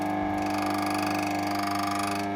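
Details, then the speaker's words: Gaggia MDF espresso grinder after dismantling and cleaning: motor hum, then a rapid rattling chatter as the burrs are set just past 1 and touch each other. This marks the finest setting. "so turn the machine on and as I turn it you'll hear the teeth start to chatter just there"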